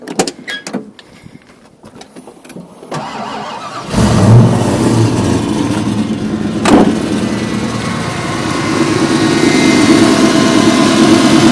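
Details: 1986 Ford Mustang GT V8 with smog pump deleted: cranks and settles into a lumpy idle with a faint puffing tick from an exhaust leak that needs fixing; the power steering pump makes a little noise.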